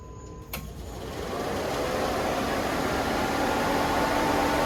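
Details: LS6-labelled 6.0 LS swap with 80 lb injectors and new fuel pressure regulator, battery on charge: brief crank, then the engine catches and settles into a steady, even run building in volume; hard starting blamed on a low battery.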